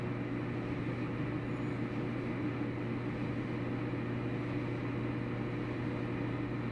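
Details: Samsung dryer after replacing rollers, tensioner and belt to fix rumbling and squeaking: low, steady hum with no thumping, squeal or rumble; drum turns smoothly, normal running.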